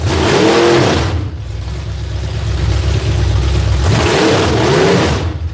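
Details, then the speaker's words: V8 on an ignition box rises and falls through a couple of revs but climbs lazily and hangs. Flames were seen from one side when run up; ignition timing is suspected to be off, not confirmed. "Gosh, that's loud. It sounds like that the timing ain't right. Sounds like it's sluggish. It ain't free."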